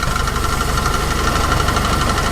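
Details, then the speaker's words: Jeep idling with the engine cover off: even, fast light valvetrain rattle over a smooth idle, no knock from below; only audible because the cover is open, normal and never caused problems. "a bit rattly at the minute. You don't hear it when that cover's all on. That's just normal, that's just because it's open."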